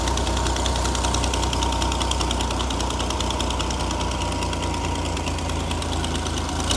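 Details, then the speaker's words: Vintage flat fender Jeep with Sniper 2 EFI after a new vented, baffled tank with in-tank fuel pump, fitted to fix fuel delivery and aeration problems: even, steady idle with a smooth low rumble, fuel pressure a bit over 60, no leaks; normal idle. "it starts right up we got 60 it doesn't leak when it's on it's got"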